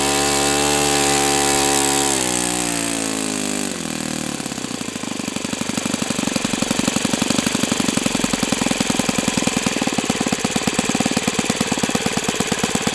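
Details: O.S. FS-91S II four-stroke glow engine on test stand, first run: high buzzing note drops in pitch, then settles into crisp, steady rapid firing with no sag or misses. Owner says it feels freer at operating temperature; normal running.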